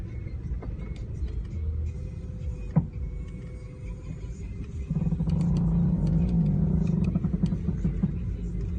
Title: 2003 Ford Mustang V6 making creaking sound when turning slowly?